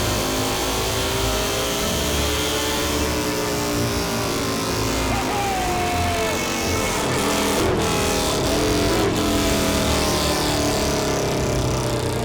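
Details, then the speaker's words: Harley-Davidson V-Rod V-twin after go-fast parts, full-throttle dyno pull in cool air: strong, clean note climbing steadily through the revs, no misfire or stumble; output rose from about 120 to around 135; healthy engine. "Yeah, and it's hauling. You can hear it. I mean, it's, Yeah, dude, the thing sounds fantastic."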